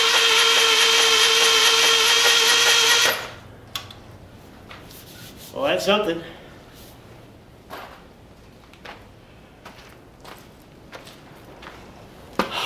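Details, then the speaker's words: 1975 Moto Guzzi T3, parked five years with fuel in tank and carbs, in neutral on starter: steady even whir spinning engine about three seconds without binding; not seized, turning freely; compression check planned. "Le know it's not locked up too terrible it did turn"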